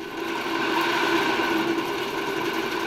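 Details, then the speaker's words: 1966 Alfa II vacuum cleaner with Hungarian Imi motor on a regulator at reduced voltage, low speed: a steady airy whir over a constant hum, with turbine noise in the housing that settles and quiets at higher speed; no rubbing, running normally. "powolutku bardzo ładnie się obraca silniki i ten i ten na początku jak uruchamia się je na małych obrotach one bardzo słychać ten szum turbiny obracającej gdzieś obudowę natomiast jak już wejdą na wyższe obroty to się wszystko tam dobrze ułoży i one pracują dużo dużo ciszej"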